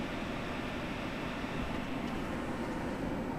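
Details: Two HP Pavilion parts computers from about 2007–2008, Intel and AMD boards with NVIDIA chipsets, motherboard tested outside the case: steady, even airy fan whoosh with no ticking, rattle or bearing growl; both boards good, normal fan run.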